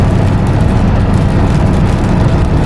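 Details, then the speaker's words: Highway-speed road noise, around 55 mph, from a truck on negative-offset wheels after both front wheel bearings were replaced, which had caused heavy road noise and steering-wheel vibration. Smooth steady rumble with no hum or growl; the new bearings sound quiet. "It's so smooth. Holy crap, what a difference."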